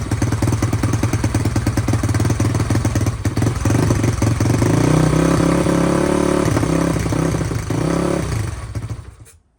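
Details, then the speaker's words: SSR YX140 pit bike with Nibbi carburetor on first start, choke accidentally left on: single-cylinder thumps unevenly about three beats a second, lumpy and labouring; running rich, idle and air screw need adjustment. "I need to mess with the idle and adjust the air screw. Sounds like she might be a little rich."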